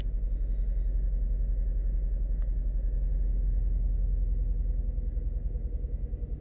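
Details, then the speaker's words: 2018 Chevrolet Cruze 1.4L turbo at idle with codes P0300 and P0201 (cylinder 1 injector control circuit): low, lumpy idle pulsing about three and a half per second, check engine light flashing; misfire. "okay guys let's try starting this up oh it's definitely misfiring I definitely feel it"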